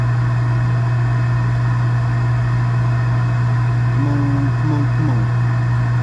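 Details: Gas package unit, newly replaced draft inducer motor (old one was extremely loud, like a lawnmower), during heat call while burner failed to light: smooth steady low hum, no rattle or scrape; inducer running quietly and evenly, healthy.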